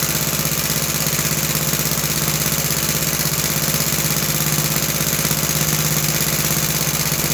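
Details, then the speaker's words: About 66-year-old 1960s English Suffolk single-cylinder engine after carb clean and new plug wire: steady even chuffing at constant speed, no misses or knocks; running smoothly. "So my plan work to clean the car and the plug wire works very good and um overall it sound good."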